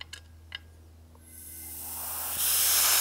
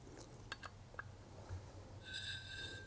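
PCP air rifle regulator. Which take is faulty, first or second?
second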